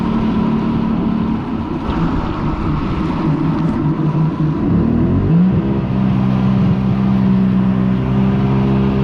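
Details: Yamaha XLT1200 jet ski on its first run on the water after an engine rebuild; steady drone whose pitch climbs smoothly as the throttle opens, even with no knocks; the engine runs strong and healthy.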